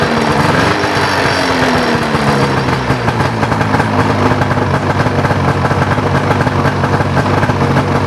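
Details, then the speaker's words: Ski-Doo Rev 800 two-stroke snowmobile with no reverse, fuses checked: fires and runs at a busy, uneven idle with no beeps after start-up; owner suspects a bad stator, cause unknown. "I'm not getting the beep beeps when it fires up. So, I'm thinking something something ain't right there."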